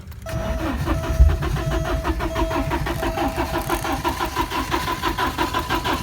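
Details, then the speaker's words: 1987 Porsche 924S after a blown fuel pump fuse was replaced and the pump runs: steady cranking at about three to four turns a second that never catches; it runs on starting fluid, and the injectors are suspected not firing. "she's trying to alright so now I got the fuel pump running this thing should be starting up but it isn't and I have got it to run on starting fluid"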